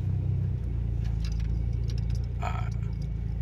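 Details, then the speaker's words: Proton Preve turbo with Saga VVT coil and NGK spark plugs, stopped at junction after idle RPM adjustment (previously stalled when stopping): low steady rumble about four pulses a second, no dip or stall; normal idle. "dia tidak mati lah. Oke, itu yang positif lah."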